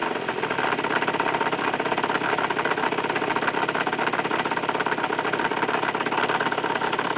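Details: 50cc two-stroke motorcycle at idle, appeared a month after crankshaft and clutch replacement, also heard when engaging clutch and riding at low rpm: fast buzzing idle with rattly, uneven clatter; abnormal noise, source unknown.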